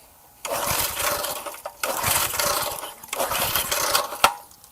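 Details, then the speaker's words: Garage-sale gas edger small engine, choke on, fresh fuel: three rope pulls, each a brief ragged whirring spin that dies without firing; carburetor then removed for cleaning. Cranks but no start, carburetor suspected, not confirmed. "Let's put the choke on. Everything's on. No, I don't think it's going to."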